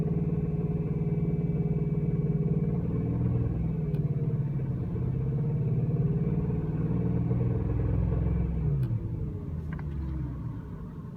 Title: Rod bearing (?) noise after VAC bearings install (1)